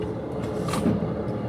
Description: when we shift reverse gear then some grinding noise coming from gear box ,that means something is wrong ,